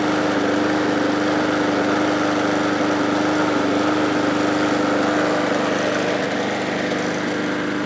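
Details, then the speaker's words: MTD mower small engine with cylinder gouging, after engine restorer and oil treatment: steady fast idle with thin slightly uneven beat; owner suspects low compression, barely enough to run. Rough weak running. "I think that right now what I'm seeing back here is that this is a compression issue with the engine, and it has just barely enough compression to run."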